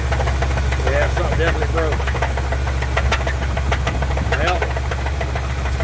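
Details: Truck at rough idle: deep, uneven knocking, roughly two a second, with voices nearby; owner suspects rod knock, something broken in the motor; not confirmed.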